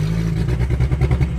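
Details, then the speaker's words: Drift car at a drift event: deep uneven, lumpy stumbling running with no power; misfire found to be all spark plugs fouled by heavy over-fueling, cause of excess fuel unknown. "absolutely no power. And it's not supposed to be making that sound. So I'm taking her back because that's about all I can do. Well, idea one was we're incorrect. All the spark plugs are just covered in shit."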